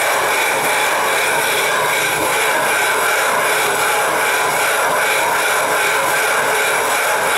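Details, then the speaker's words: 12.5-inch telescope mirror hogging on a spin/fixed-post machine, sub-diameter tile tool with most of the weight pressed down, erratic strokes: loud continuous gritty rasp holding steady; fresh grit cutting the glass normally. "I'm putting most of my weight down on a tool you can hear it cutting no ST when the noise is quieted down or you get"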